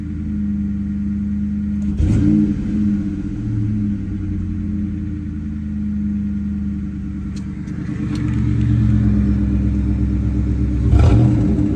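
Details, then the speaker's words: 1996–1998 Mustang GT V8 after installing new coil pack and plug wires: even, steady idle rumble and quick throttle blips rising and falling cleanly, misfire gone, throttle very responsive. "Misfire is gone. I'll clear this check engine light in a minute. Clear this check engine light. The car is running extremely freaking smooth right now."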